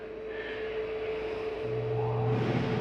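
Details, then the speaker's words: Flagstaff 832IKSB RV air conditioner switched on at thermostat, cabin at 86: steady hum, then low compressor drone kicks in and fan noise swells; clean, healthy AC start, shuts off quickly. "There's your AC kicking on. We'll shut that off. Go to off. See, that'll shut off rather quickly."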